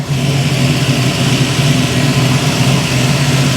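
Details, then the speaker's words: 1971 Chevy Nova V8 with mufflers, started after distributor timing adjustment (target 37° BTDC): steady deep even burble idle, no misses, knocks or exhaust leaks heard. "See if she'll run. Sounds good. Don't hear any exhaust leaks."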